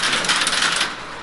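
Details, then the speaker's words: Working crossbar telephone exchange at Seattle's Connections Museum: rapid bright metallic relay clatter for under a second, then quiet hum. The switches work normally as a call connects, faster than the panel system because nothing has to travel. "Yeah, it's also much faster than the panel, right? Because it doesn't have to travel."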